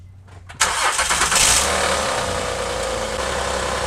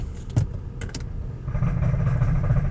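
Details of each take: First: 2008 Honda Odyssey, about 170,000 miles, previously making a terrible noise in gear and not moving due to a broken axle bearing, after fitting a new axle: engine settles into a steady even run in gear with no clunking or grinding; normal running in gear. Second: 2008 Honda Odyssey, about 170,000 on the clock: quiet at idle, then a heavy, rough grinding drone as soon as it's put in gear, and the van won't move. Cause is a broken front CV axle joint with broken balls.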